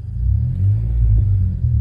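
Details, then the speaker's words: Car stereo with a second amp added: low, steady engine rumble from inside the car with no high whine from the speakers after installing a ground loop isolator, which eliminated the alternator whine. "let me go plug it back in and yeah nothing now there's no more wine i love"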